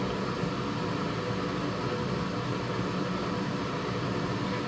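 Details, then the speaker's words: Wall-mounted gas boiler in heating mode at maximum burner power, gas pressure around 1–2 kPa: a steady, even burner roar with no whistle, squeal or extraneous noise from the burner or heat exchanger; normal operation. "вот один два кило паскаль на максимуме никаких звуков посторонних звуков песка горелки или теплообменник нет"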